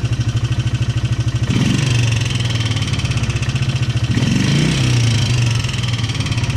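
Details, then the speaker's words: Polaris Sportsman 300 ATV at idle after new timing chain and some springs replaced: light, quick tapping over the exhaust beat, persisting through blips; cause unknown, owner suspects top end or valve adjustment, doubts piston slap. "And I've been trying to get rid of this sound because this is, I thought it was originally the timing chain, but it's still there."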